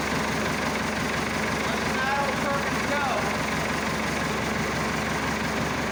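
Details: Massey Ferguson Super 90 diesel tractor just after replacing a faulty negative ground cable that caused slow cranking and no-start; fixed and held at cold idle, not revved. Steady, even diesel clatter with no misses or knocks; normal cold idle.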